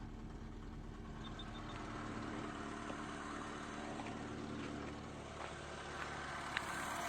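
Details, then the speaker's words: Opel Astra F 1.6 C16SE after water pump and timing belt replacement: smooth even idle with steady low hum, the earlier grinding creaking noise from the water pump gone. "gacır Gucur ses yapıyordu Şimdi çok şükür Herhangi bir ses yok"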